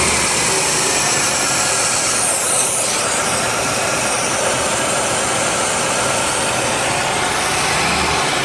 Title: 1990 Cutlass supreme vacuum leak